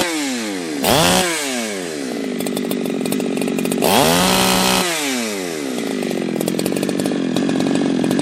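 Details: Ported chainsaw, air filter off, on a cool, humid day. It snaps to full throttle twice and holds a slightly burbly, uneven scream at about 11,000 rpm on the tach instead of a crisp note. The high-speed mixture is set rich; the plan is to lean it about half a turn.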